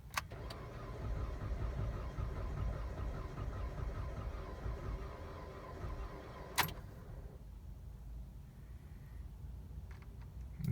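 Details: 2007 Dodge Caliber 2.0L, 340,000 km, low battery on charger, clear-flood cranking in cool weather: sluggish, uneven cranking about six seconds without firing; very low compression suspected, not confirmed.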